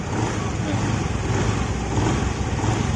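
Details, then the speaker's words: Honda Vario 110 FI after repair of a whining crankshaft bearing, gentle throttle blips heard near crank area: smooth low drone, the earlier high singing whine is gone; normal revving. "Oke, coba dengarkan di daerah sini ya. Udah nggak ada ya. Udah hilang ya."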